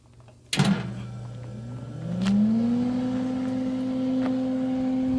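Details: Misting system pump about five years old, unused over winter, switched on: a click, then an electric hum rising in pitch over a second and settling to a steady tone; pump motor running normally.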